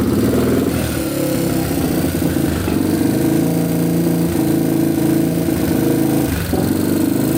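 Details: Yamaha TTR230 single, first run after carburetor float repair: runs unevenly with irregular pops and spits over idle; owner suspected an exhaust leak, but a hole in the intake boot was letting in extra air.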